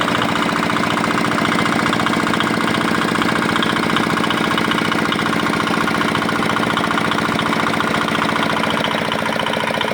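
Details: Old, modified Chinese R180 single-cylinder diesel used for wood splitting, rebuilt after a bearing knock/seizing complaint (crankshaft already replaced elsewhere): even, rapid chug holding a steady beat, no knocking or misses; runs clean after repair.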